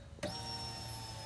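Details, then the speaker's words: Fox body EFI Mustang after a fuel pump wiring upgrade with the in-tank hanger mod, key cycled: a relay click, then a steady high whir for about a second before it clicks off. Normal pump prime. "a beautiful sound pull it off cycle it again you'll hear this relay click"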